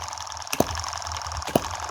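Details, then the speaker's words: Tiny 2023 Chinese 4-stroke gas model hit-and-miss engine (M17), running after crank play reduced with superglue: sharp single clicks about once a second, slow even hit-and-miss cycle; running sound and steady, oil in the hopper. "you hear that beautiful little clicking noise yeah with such a slow hit and miss cycle we're really not going to be worried about heat here"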